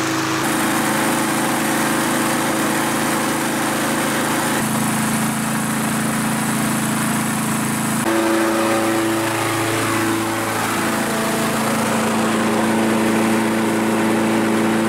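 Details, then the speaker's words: Kohler XT6.75 149cc engine on self-propelled mower, after carburetor main jet cleared of rust chunk, fresh premium gas: steady even drone for five minutes with no stumbling or stalling, then shut off; problem solved. "well I've had this thing running for oh five minutes now and it hasn't shut off on its own and I think that's it problem solved"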